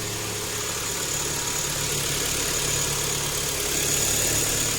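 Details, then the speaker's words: Kia Optima G4KE 2.4 engine idling after its third overhaul, done to fix a knock that followed the second rebuild; steady even idle with no knocking or extraneous noises. "а так никаких посторонних звуков и шумов нету"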